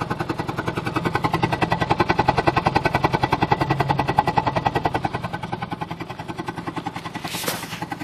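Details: Rough idle on a 1995 G20 with a lumpy beat of about two to three pulses a second and uneven loudness swells; cause not evident.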